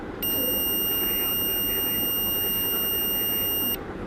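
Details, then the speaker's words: Multimeter continuity beep, steady high tone about 3.5 s, on a DC 775 motor (11.8 V) with a worn carbon brush that stops it running; probes on two points of the same terminal, so the connection is normal. "শব্দটা শুনতে পেলেন। অর্থাৎ এটা আর এটা connection থাকবে। এটা তো স্বাভাবিক।"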